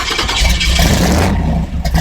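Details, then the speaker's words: 1964 Chevy II gasser V8 after a year in storage, restarted after flooding with a little throttle; deep burble catches, revs cleanly under a throttle blip, then settles while warming up; normal running. "there you go now just give it a little it's like there and everyone's happy this thing sounds so good it's too bad it's probably blowing out the microphones here"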